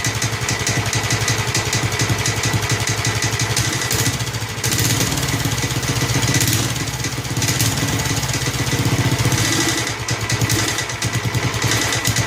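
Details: Snapper Hi-Vac commercial mower, around 1988, with Robin/Wisconsin engine, running after carburetor fiddling: steady, even beat with slight speed swells, no knocking; motor sounds good when running correctly, though carburetor leaks and needs a kit.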